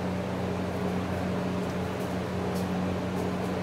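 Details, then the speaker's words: Mid-1970s Lakewood Country Aire P23 box fan on high speed: steady even whoosh of rushing air over a low constant motor hum, no ticking or rubbing; normal, powerful. "This fan is quite powerful, actually, and it will definitely push air around a room quite quickly."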